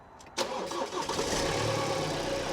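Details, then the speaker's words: Ex-fleet Ford Transit, start with slightly weak battery; starter catches quickly, engine settles straight into a steady even idle with no exhaust blowing; healthy start. "the battery is still a little bit weak but that sounds lovely good stuff mate that does sound well doesn't it there's no blows there"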